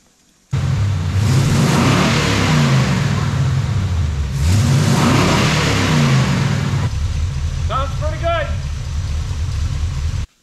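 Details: Wrecker engine after ignition timing set to 12 degrees with a timing light: engine blipped twice, revs climbing and falling cleanly with a steady idle between, no pinging or misfire; running well.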